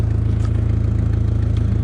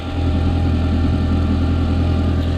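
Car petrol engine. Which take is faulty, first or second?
first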